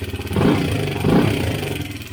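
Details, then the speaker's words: 2017 Honda CRF250L before repair: lumpy single-cylinder idle with a light, quick clatter from the top end; cam chain and gears had a lot of play, and a new cam chain tensioner was then installed. "chain and gears had a lot of play in it. We're going to go ahead and install the new tensioner."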